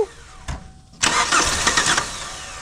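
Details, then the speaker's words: 2002 Kia Sportage that has sat long with the top off. A short crank, then ragged cranking with weak pops that never catches; it has spark, but the fuel pump will not kick on. "Well, she's trying to fire, so that means she has spark. Uh, we can't get the fuel pump to kick on."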